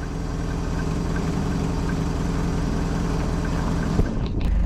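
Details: Abandoned 1990 Mercedes 230CE, revived after a suspected ignition timing issue: the petrol engine idles with a steady, even low rumble and no knocks or misses.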